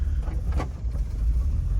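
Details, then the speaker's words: 1966 Jaguar XKE Series 1 2+2 just started cold on a wintry day, choke on: soft, low, even idle burble with no tapping or misfire; normal, very quiet cold idle. "now she's a little bit cold so you can you can barely even hear the motor running that's how quiet this thing is"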